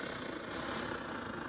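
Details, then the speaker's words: Circa-2014 SVEA 123R stove, primed with alcohol, pulsing flame and yellow flame instead of all blue: burner roar pulses and sputters unevenly instead of steady hiss; sputtering burner. "See, also, you can see it's got some yellow flame on it. It should be all blue. It should be firing out more. See how it's sputtering like that?"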